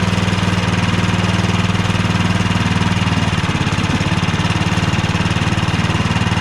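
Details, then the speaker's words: Cub Cadet 2X 24 IP snowblower (model 31AM6HVRB10) with an MTD Powermore 243cc IntelliPower engine, after being drained and cleaned to fix ethanol-fuel starting and surging trouble. A quick, steady single-cylinder putter holds speed without surging or dying. It runs properly now. "now we've got this thing back up and going with virtually zero money zero time just a quick easy process to get this thing drained cleaned and back into working order"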